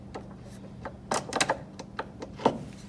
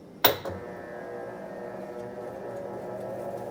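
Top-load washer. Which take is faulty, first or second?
first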